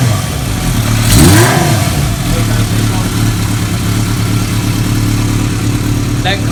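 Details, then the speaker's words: Restored 1980 Kawasaki KZ650, stored nearly 30 years, with Mac aftermarket exhaust, just started: even idle, quick blip rising and falling cleanly with deep exhaust grunt, no misfires; revs healthily. "That grunt that Mac pipe has is cool. I rode one of these bikes before with that, and it's just either when you get the real bottom end or you get the top end, it goes, here, rev it up real quick."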